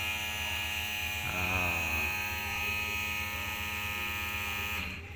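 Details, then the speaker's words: Toyota Avanza electric fuel pump activated via scan tool, tank area: loud, steady, very shrill high-pitched whine, far louder than a good pump; worn pump, internal gears likely worn, weak pressure, pump to be replaced. "Oke kita gunakan untuk kita hidupkan nih saya gunakan tools saya on-kan nih elektrik pump menggunakan scan tools kita dengar dia punya bunyi bunyinya nyaring sangat nyaring"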